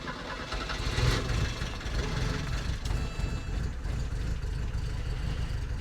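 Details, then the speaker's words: 1984 Porsche 944, sat for a couple of years, started on a booster pack: heavy, uneven low rumble that stumbles for a few seconds before settling into a ragged run; owner suspects a vacuum leak. "that was a little rough at the start but she took off"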